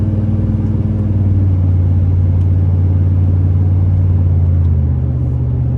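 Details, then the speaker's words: 2005 Chevrolet Silverado 3500 dually 4x4, 8.1 L V8, Allison automatic, 26,000 miles, pulling steadily uphill: deep, even V8 rumble with smooth gear changes, no knocks or whines; healthy engine and transmission under acceleration. "We'll take off, we'll head up the hill so we can hear the 8.1 run, as well as put the Allison automatic transmission through all the gears so you can hear for yourself how there's no issues with anything on this truck at all."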